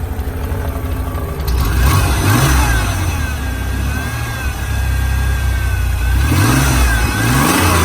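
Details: Ford 3.0 V6 from a wrecked flex-fuel 2000 Ranger: idle hunts and surges with a lumpy, uneven beat; owner suspects broken vacuum lines letting it suck air.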